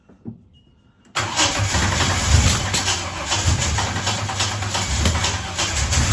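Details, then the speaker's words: Holden HZ Kingswood wagon, 202 six, Trimatic, extractors, points ignition, new reco carburettor, very old petrol, on choke: catches and settles into uneven wavering idle with dips, earlier idled then died; rough idle after hard start, cause uninvestigated. "Alright, I've got it running. Still not quite happy with it."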